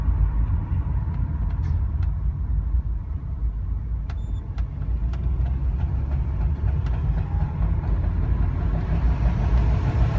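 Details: 2004 Subaru Forester XT pulling away cold: heavy low road rumble with a few sharp knocks from the front left suspension or drivetrain, only when accelerating and only when the car is cold.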